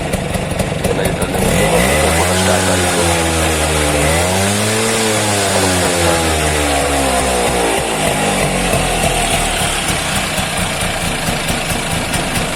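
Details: Bajaj two-stroke auto rickshaw after fitting a new oil pump: crisp buzz picks up smoothly with each throttle blip and settles cleanly; engine runs evenly, no misfire.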